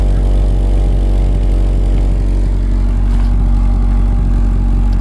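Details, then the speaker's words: 1984 Dodge Mini Ram van, 5-speed manual, parked 25 years, after half an hour running and fully warm: deep steady idle with even beat, fan running, heater working, charging and oil pressure good. "Fan's running right now. It's running good, the heat's working great. Sitting here idling pretty."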